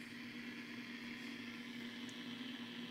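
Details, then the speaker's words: Blaupunkt Arkansas stereo tube radio during restoration, first power-up, volume up on AM bands: steady even hiss with faint low hum, no station; expected band noise on long, medium and short wave, but tuning is jammed. "okay this is definitely noise that we expect to hear that would be long-wave same noise long wave medium wave shortwave fm"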